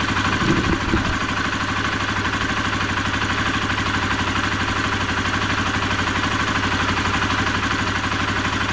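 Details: Honda CBR125R single-cylinder idling steadily with an even low putter; previously it had a high ticking while riding and sparks from the corroded spark plug cap/lead, here after a temporary fix.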